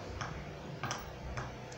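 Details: Philco TCM-2044 TV cycling on and off with its standby light blinking; sharp little ticks about twice a second over a quiet background, caused by an open 100k resistor starving capacitor C725 in the power supply.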